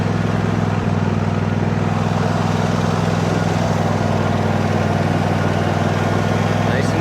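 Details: John Deere D130 riding mower after electrical repair, running on a jumper pack for a charging check: steady, even engine drone at constant speed with no misses, knocks or surging; runs smoothly.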